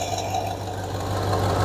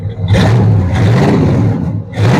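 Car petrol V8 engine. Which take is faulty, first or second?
first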